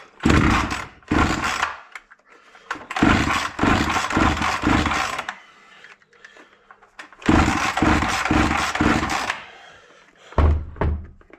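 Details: Proyard 450 brush cutter engine that reportedly would not run, cover missing: repeated pull-cord bursts with a raspy turnover, but it never catches or runs on its own; cranks but won't start.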